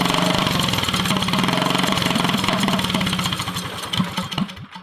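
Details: Drift go-kart engine with a stage 1 kit, nearly stock, first start in over a year. Small single-cylinder chatter hunts unevenly, then sags and stumbles as it struggles to find idle. Owner suspects it just needs running in again, not confirmed.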